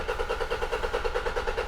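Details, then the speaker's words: 2006 Toyota Hilux 2.5 litre D4D diesel, crank no start with no codes and no engine light: even starter cranking at about nine beats a second with no firing, sounding dry as if no diesel reaches it; fuel starvation. "It might not be coming through on camera, but it sounds dry. And what I mean by that is, it just sounds like there's no diesel getting to it."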